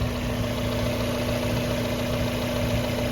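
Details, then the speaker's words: 1994 Mazda Miata, first start after winter storage. Smooth, steady idle with a constant low hum riding over it, heard from the air box. Owner wonders if a mouse got in and ate the air filter; cause unconfirmed. "car's idling nice no complaints [Music] i hear a humming sound coming from the air box"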